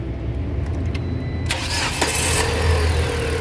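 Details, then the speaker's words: Car with power loss and sudden stalls caused by a battery acid leak that corroded the ground screws and cables, after cleaning and reconnecting the negative cable: a short crank catches quickly and settles into a smooth, even idle. A clean, healthy start. "perfecto todo quedó en óptimas condiciones"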